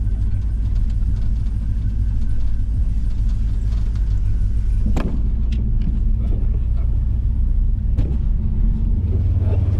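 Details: 1984 Chevrolet squarebody V8 after brake booster replacement: deep, steady idle rumble with no hiss or stumble; the new booster holds vacuum, with no vacuum leak.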